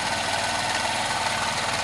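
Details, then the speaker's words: 2001 Honda CH80 scooter after tune-up, carburetor pilot and main jets cleaned (previously idled only on electric choke): even steady idle with fine regular patter, no hunting or dying; normal idle. "and running correctly this bike if there are no leaks vacuum leaks should idle like this all day long"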